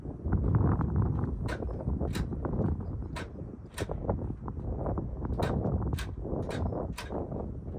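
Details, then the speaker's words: Old Ford tractor, key on, fuel on, in neutral: sharp dry clicks every half second or so with no cranking; the relay clicks but the starter won't turn. "it does this sometimes you can hear the relay clicking but the starter's not"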